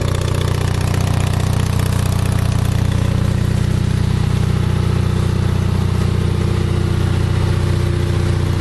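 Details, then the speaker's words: Onan 5.0 CCK-4R 5 kW self-contained 120/208 V three-phase dual-fuel genset (gasoline, propane or natural gas), low hours, on leg 1 at about 115-117 V, 60 Hz, just under a third of full load: smooth, even low hum, steady beat about three per second, no knocks; healthy running. "That's got about a third, maybe just shy of a third of its load, full load. But that'll give you a good idea of how quiet this unit is, how reliable and strong it is."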